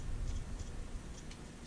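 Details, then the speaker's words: Known-good idler pulley bearing spun by hand on a truck, for comparison with a tight, crunchy bad one: it turns freely and quietly, with only a faint light ticking and no rough grinding or interruption. "Very freely, no tension at all. And what's hard to pick up here, it's quiet. There's no interruption as I'm trying to spin it around."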